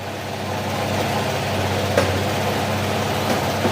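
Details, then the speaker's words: Honda PCX160 scooter engine after overhaul with original parts, crankshaft not replaced: steady, even idle with a smooth low thrum; the earlier cricket-like chirping noise is gone. Normal idle. "Wala na yung tunog kuliglig oh 'di ba?"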